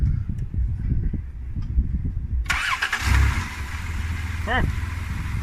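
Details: Van engine just after a throttle body cleaning, with one hose reconnected: it catches after a short crank and settles into a steady, even low idle with no misses or stumbles.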